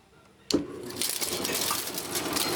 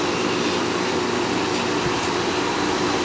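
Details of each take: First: Old Fedders Airtemp 5100 BTU window air conditioner with Rotorex compressor, unused since last year: sharp clank at switch-on, then steady airy rush with loose chattering as the rear condenser fan rattles badly. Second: Fedders Air Temp 5100 BTU window air conditioner with Rotorex compressor, running after the fan shaft was wrapped in tape as a spacer and a cut-down slinger wheel fitted; steady even air rush and smooth hum, no knock or rattle, vibration much reduced, hot air now blowing out the back.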